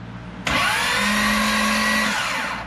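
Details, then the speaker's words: 2005 Corvette with a built supercharged motor, starter jumpered directly: a sudden high, steady whine for about two seconds with no engage or disengage click; the starter is spinning without engaging. "now what my concern is that high-pitched wine you're not hearing it engage or disengage"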